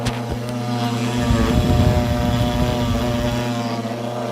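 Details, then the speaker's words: 500 W air-cooled brushless DC CNC spindle failing mid-project: a steady motor hum turns rough with irregular crackling surges. The spindle was dying and was replaced with a 1.5 kW air-cooled spindle with VFD. "now the reason it went wrong was because my cnc spindle decided to die this is what happened well i'm only halfway through the project and my cnc spindle is dying listen to this"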